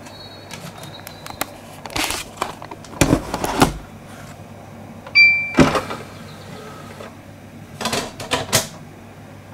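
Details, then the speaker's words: Xbox 360 Slim Hitachi-LG DL10N DVD drive with camera on top; tray whirs shut, then repeated short clicks and bursts as it fails to read a disc, diagnosing a dead optical pickup laser needing replacement. "And I'll try and enhance the audio so you can hear that clicking sound, because that clicking sound is very, very important. It's a way you diagnose a dead optical pickup."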